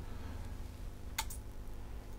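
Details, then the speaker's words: Panasonic SA-BT330 home theatre Blu-ray player with an F76 error, during supply voltage checks. Two sharp clicks about a second apart over a quiet hum as the unit keeps switching on and off: the power supply relay is cycling. "try and press a button and no it's clicking on and off now"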